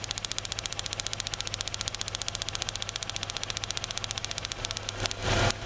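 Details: 2003 Kia Rio that had a crank-no-start with light backfires, running rough cold: sharp crackling snaps about four per second from the coil pack arcing between towers for cylinders 2, 3 and ground, causing misfire; arcing eased once warmer.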